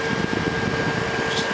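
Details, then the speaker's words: Shuttle SB61G2 PC with Pentium 4 Extreme Edition: steady rushing hiss with faint hum of air forced through the fan by the PSU; owner plans removing restrictive honeycomb rear grille for more airflow. "sorry if you hear the wind a little bit that the air coming through"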